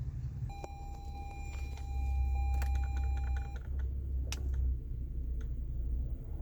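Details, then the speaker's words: 2017 Toyota Sienna AC blower fan after replacing the blower motor, which had been noisy because it came loose: low steady hum with no rattle, grinding or squeal, normal blower operation. "out so the noise is gone so that's how you replace a ac blow motor on a sienna"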